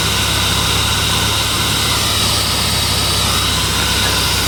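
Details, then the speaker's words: Toyota Auris 1.6 petrol, about 121,000 km, in freezing cold, after replacing the noisy, non-charging original 100 A alternator and a stretched belt: steady, even idle with a smooth low hum, no squeal or knock; battery light off, normal idle. "Chưa có lỗi gì. Chạy êm. Không có tiếng kêu rít."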